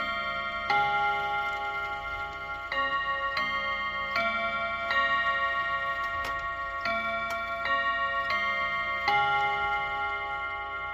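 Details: Serviced chiming clock, hour strike test: bright bell chime melody in slow, uneven phrases; with the hand on 1 it strikes 4 times, but strikes 2 at 2; owner suspects the seashell mechanism; hour strike miscount.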